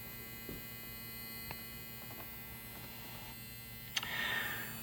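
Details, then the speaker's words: Old Becker radio, slowly brought up on a variable power supply to about 10 V, with shortwave adapter: low steady hum with a faint buzz under a few clicks and a brief hiss as it powers up. "Now, time to turn on the radio. I don't know if you can hear the hum."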